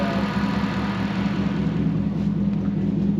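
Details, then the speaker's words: Toyota Celica with 1UZ V8 on a new ECU: lumpy, uneven idle stumbling a couple of times per second; suspected misfire on two cylinders, cutting out around 1,300 rpm with voltage dropping. Cause not confirmed. "this sounds like it's missing two, because it's 2 cycles."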